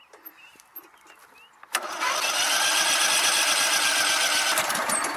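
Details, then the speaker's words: Sears Craftsman DieHard lawn tractor that died, restarted after checking power at the pickups and control box: after a quiet pause the small engine catches at once and settles into a steady, even putter with no misses, starting and idling normally. "okay so let's get if she'll start again she was running"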